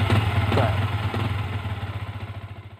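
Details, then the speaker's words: Yamaha Vixion after repair: even idle thump about four beats per second fading away, the whistle on throttle release now gone; engine sounds normal. "Ini bunyinya setelah tadi diperbaiki, sudah tidak ada lagi suara seperti peluit ya."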